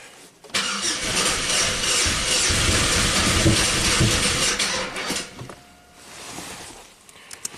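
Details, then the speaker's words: 1997 Buick Century 3.1 V6, pressure transducer in cylinder 4, plug grounded: the starter cranks at about 3.5 turns a second, slowing where cylinder 4 compresses on its exhaust stroke and speeding up again; cylinders 5 and 6 dead; no start. "now we have number four compressing when you're supposed to be exhausting that slows the engine way down it's hard for the starter to turn this engine over right that point and then it speeds back up as we do intake normal compression"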